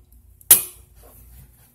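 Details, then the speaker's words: GFCI outlet self-test: after pressing test, the reset button is pressed and gives one crisp, sharp click as it latches and sits flush, then quiet. Normal reset click; the GFCI passed the test. "You hear that click, so therefore your Gfci has been it passed the test."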